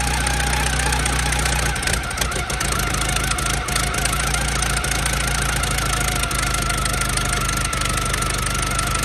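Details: 1914 Buick four-cylinder, about 1,776 original miles, restarted on premium fuel after sitting roughly 85 years: steady, slightly uneven idle with a constant low thrum, running well; coolant is being expelled and the cooling system still needs work.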